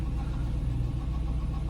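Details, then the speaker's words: Auctioned ex-police V8 car, 83,000 miles and about 5,000 idle hours: a rapid, uneven tapping in the low rumble, heard as it idles down. A worn camshaft is suspected but not confirmed. "But is it making some noise? It is. It is. It's making some noise. Hear it? Time for a cam on this one."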